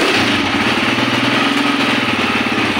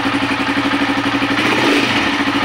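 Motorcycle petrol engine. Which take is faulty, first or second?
first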